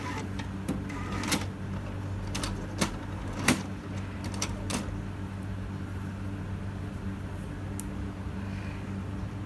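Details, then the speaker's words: HP Smart Tank 7001 just switched back on after its first black ink refill: steady low motor hum with scattered clicks and clunks as the mechanism cycles; normal initialization. "It's setting up, doing something. Be patient. There we go, I hear sounds in there."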